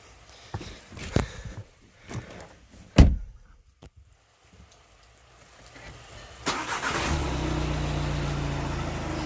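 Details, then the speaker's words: 2015 VW Passat TDI diesel, first startup just after the Rawtek cold air intake install with the engine cover back on: it catches at once and settles into a steady, even diesel idle, no different from before; normal startup and idle. "Okay, no difference from idle. That's okay with me. Fine with that."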